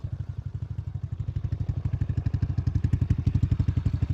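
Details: RS125 carbureted motorcycle after repair, test ride, engine puttering evenly at low revs with no rattle. The earlier strange noise came from the worn one-way bearing inside the primary clutch.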